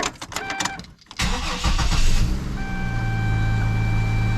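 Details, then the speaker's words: 2005 Isuzu SUV, Vortec 4200 inline-six, after reassembly: cranks, catches and settles into a steady, even idle with no stumble; no longer misfiring, no check engine light. "and there we go with that we have a engine that's no longer misfiring this is a Vortec 4200 uh inline six"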